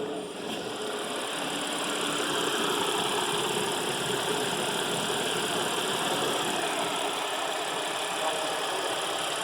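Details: 2014 Audi A7 3.0 V6 after timing chain replacement for code P0018 (crank–cam position correlation, bank 2): even steady idle with smooth hiss, no chain rattle or slap; stored fault codes not yet cleared.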